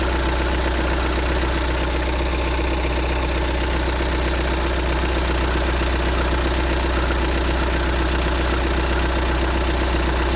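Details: 2015 VW Tiguan 2.0 TDI 150 BMT, 34,000 miles, cold diesel idle: thin high chirp about every half second over the clatter, lasting a minute or two then stopping; squeak at cold idle, source unknown.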